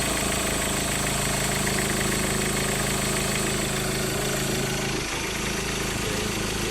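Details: Ford Ranger engine idling with a steady whirring hum and a fast, busy ticking rattle from the belt drive; worn belt tensioner and alternator bearing need replacing.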